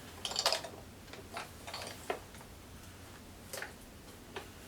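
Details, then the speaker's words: Aiwa TPR-910 stereo cassette boombox: faint, scattered light ticks and clicks as the unit moves, like a small loose piece rattling inside; source unknown. "there's something rattling in here don't know what"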